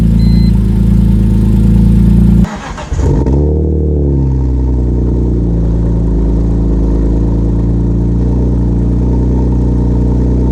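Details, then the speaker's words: BMW E46 M3 first start-up after fitting catless headers: rev blip settling to a deep, loud idle with puffing, chuffing exhaust; a header joint leaks because no gasket came for it, while cooling system is being bled. "anyway I hate that it didn't come with a gasket for that other one completely leaking"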